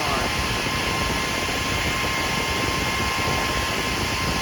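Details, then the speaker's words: PowerJack 12000 W low-frequency pure sine inverter, lid off, under heavy load, parts measured 144–150°, fan apparently triggered near 150 by thermo sensor: steady constant-speed whoosh with faint fixed tone; cooling fan operating normally. "so i'm assuming when it gets a certain temperature that's going to cause the fan to come on"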